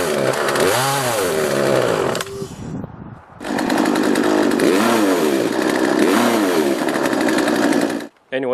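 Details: Poulan 3818 38cc chainsaw with an 18-inch bar: starts easily on full choke but surges and sags at the top end, including when cutting a log, never holding full speed; bogging from carburetor mixture adjustment.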